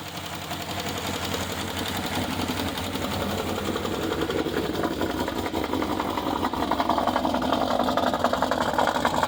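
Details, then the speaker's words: 2012 Chevy Caprice PPV 6.0 LS V8 cold start, a month after DOD delete, stage 2 cam, new lifters and rockers: fast regular ticking over rough idle, louder with RPM, seeming from driver's-side valvetrain; unconfirmed. "and it gets louder with RPM"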